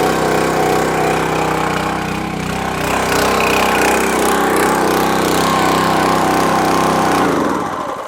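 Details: Champion 27-ton log splitter, unused for a couple of years and would not start; gunked carburetor replaced with a new Huayi carburetor, choke on, fresh gas. Runs steadily with an even beat, no misses. Normal running after carb replacement.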